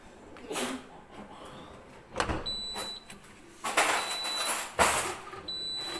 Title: easy fix for Siemens dishwasher with a beeping sound